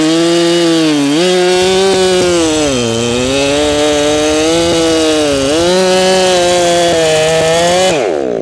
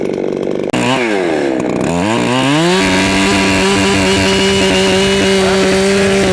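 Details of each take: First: Ported Echo CS7310P chainsaw with 20-inch Sugihara bar, newly tuned, still breaking in, cutting hard maple: high steady scream that sags in the cut with a faint burbling break; slight four-stroking, tuned a little rich. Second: Ported, tuned Echo CS7310P chainsaw with 20-inch Sugihara bar and chain, still breaking in and slightly four-stroking, cutting hard maple: quick revs then high steady scream in the cut without bogging; strong, healthy.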